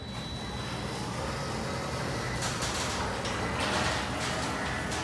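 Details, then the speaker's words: Newly installed Ryobi 2 HP belt-drive smart garage door opener running a metal door: low even drive hum under the door's metal rattles, no chain clatter as with the old opener; operating smoothly and quietly. "the drive itself actually comes to a really quiet screwdriver you can't really hear much and there's nothing from the belt system not like the old clattery chain"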